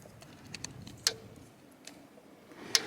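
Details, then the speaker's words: Solar-powered Cyclops DC 5 joule fence charger on Electronet goat netting, just reconnected: sharp snapping ticks about 1.7 seconds apart over quiet background, pulsing normally again. "you can already hear it popping it's back on"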